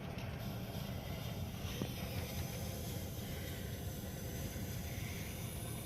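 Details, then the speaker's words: Bryan steam tractor warm-up: vaporizing gasoline pilot burner (fed through a branch fork, works like a Coleman lantern) lit through the peep window; steady even hiss over a low rumble, normal pilot lighting, aiming for a blue flame while building pressure. "you can hear it hissing and now the pilot's lit"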